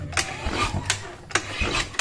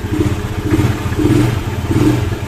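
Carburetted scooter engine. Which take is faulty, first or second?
first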